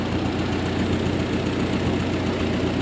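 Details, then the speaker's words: Old Ford 8N tractor, revived after sitting for years: uneven idle with occasional soft pops that come and go over a low rumble; owner suspects carburetor adjustment or spark plugs; intermittent popping at idle. "I think I might need some carb adjustments. I've been tweaking it a little bit. And the popping kind of comes and goes, so could need a set of plugs."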